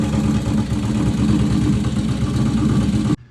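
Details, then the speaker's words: Junker Harley-Davidson Road King V-twin runs loud and lumpy with a light tick over the exhaust beat; collapsed hydraulic lifter. "I'm gonna get a little bit into the mechanics of exactly what a collapse lifter is what a lifter is what that noise was"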